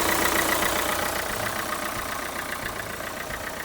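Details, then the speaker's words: Renault Kangoo 2 1.5 dCi diesel after replacing the alternator overrunning clutch pulley (alternator bearings and charging fine, pulley torqued to 80 Nm): even steady idle clatter, no metallic grinding, jerks or clicks; normal running. "Все працює. Тишина. Цих ривків, щелчків нема."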